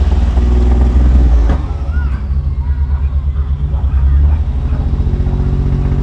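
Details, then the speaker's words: GMC Syclone pickup, driver holding steady throttle: low rumble turns lumpy and stumbly, beat breaking up under load; owner suspects bad distributor; misfire, cause unconfirmed. "I'm holding steady it's starting to stumble I think we definitely got an issue there"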